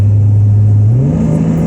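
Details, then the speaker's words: 2005 GMC Envoy inline-six with Magnaflow high-flow cat and Magnaflow muffler plus a cold air intake: a deep smooth drone rising in pitch with revs, no ticking or puffing; healthy, leak-free exhaust. "this thing doesn't sound too bad you know when you first start it up it's cold and uh it just sounds it sounds really good with uh what's on it"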